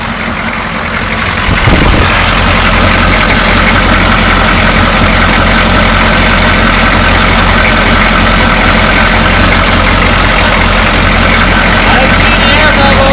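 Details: 6.2L diesel with rough idle: loud, lumpy, uneven clatter at about four beats a second. Owner suspects an air leak from cracked rubber fuel lines between filter and injector pump and thinks the lift pump is fine; cause unconfirmed.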